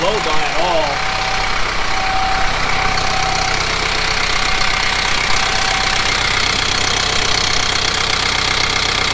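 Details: Kubota M15GX diesel after engine rebuild: even diesel clatter at a steady idle with constant rhythm, no misses or heavy knocks, no blow-by; normal running.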